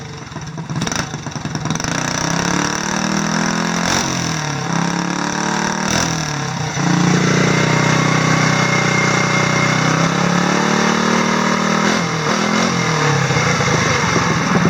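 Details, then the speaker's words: Vintage mower's NR Racing small single-cylinder engine after ignition timing, coil air gap and valve lash correction (exhaust 0.003, intake 0.002): strong, even running with steady firing, no knocks or misses. "adjusted my valve lash which was way off so I brought the valve lash back within spec which was 3,000 on the exhaust 2,000 on the intake and fired it up and this thing runs ridiculously well"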